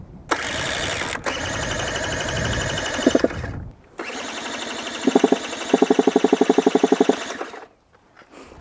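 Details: Brand new 2017 KTM dirt bike that died on a hill after five-minute warm-up: starter churns in two attempts with an even chug, but engine never catches; owner suspects flooding, cause unconfirmed.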